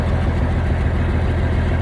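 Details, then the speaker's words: 1971 M35A2 turbo deuce-and-a-half diesel idling after the fuel pickup tube replacement, 24-volt inline fuel pump and new air filters: deep, even, steady low thrum, no knocks or misses. Running smoothly. "i'm gonna show you all for those that are curious if it runs you can hear it for yourself runs pretty good"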